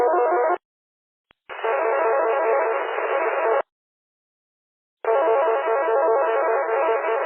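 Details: Unidentified data signal heard on UHF repeaters (Chester, Crowders, Myrtle Beach) and simplex, mixing with weak signals: harsh, raspy warbling data bursts a few seconds long with dead gaps; source unknown.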